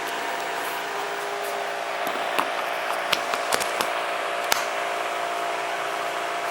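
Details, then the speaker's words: Cold engine at idle after replacing gauge sender and ECU coolant sensor: engine-side pull fan runs continuously by itself with whirring drone and a few clicks, intermittent fault of unknown cause; cooling fan running at cold idle. "the pull fan that's the one on the the engine bay side of the so the engine side of the engine bay this one that's going by itself and as you can hear un adjust fluctuating"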